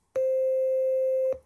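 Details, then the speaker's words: Penny organ (Arduino, touch sensor, four digitally controlled oscillators) playing a single held note from the first DCO, which has a faint buzzy edge instead of a pure sine; the second oscillator sounds pure. "it doesn't sound quite pure sign now if you press one note of course it's using the first dco digitally controlled oscillator"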